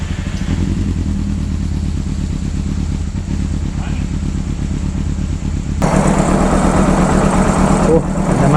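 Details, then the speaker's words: 1995 Honda CBR600F inline four, just started after sitting a very long time, with WD40 added and the fuel pump not pumping: an even, quick warm-up idle with a steady pulse, a slight rise and no ticking or clatter; it sounds healthy. "sounds good just let it warm up a little bit before we go giving it the berries if you know what I mean"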